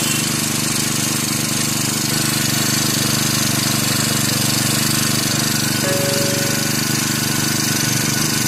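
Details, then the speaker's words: Brand-new Turbotech SD T35 4S four-stroke brush cutter, bought two days earlier, that would not start; after replacing a shorted ignition coil it starts and runs with a steady high buzz, even firing and constant speed. "दोस्तों जैसा कि आपने देखा इस machine का ignition coil short कर गया था मैं मैंने न्यू इग्निशन कॉइल इस मशीन में लगाया और मशीन स्टार्ट हो गया"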